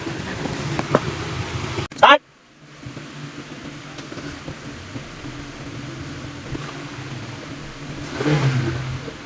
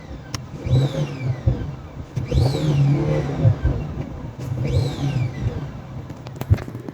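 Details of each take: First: Car with check engine light and a squeaking complaint, diagnosed by scanner DTC and visual inspection; after the repair the engine idles smoothly, then revs up and settles a few times with no squeak or squeal. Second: Boost leak on a turbo engine with check engine light and a stored code: three revs, each with a high squeal sweeping up and down with engine speed, from a cracked turbo intake hose.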